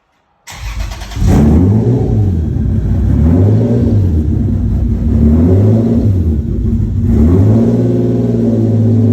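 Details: Lexus SC300, bought for $600, rolling around the lot after resonator refitted with welded stainless pipe: deep loud exhaust drone with steady pulsing, still loud but tamer than before; runs clean.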